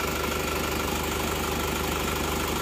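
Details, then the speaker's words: Isuzu Panther L 1740 diesel after replacing worn pistons and rings, rough noise blamed on injection pump; steady, even idle with uniform clatter, no knocks or misses; injection pump judged normal, roughness was from worn pistons. "Kalau menurut saya ini Bos pomnya normal-normal saja Ya tidak masalah"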